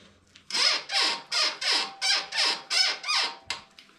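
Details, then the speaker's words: 2021/2022 Euro 5 Royal Enfield Himalayan rear suspension compressed: sharp rhythmic squeaks each stroke; dogbone links suspected and greased, but the cause was the swingarm pivot shaft, later fixed. "This is not the sound you want to hear, is it? So let's squeeze it up a little. I think that noise is coming from those link here."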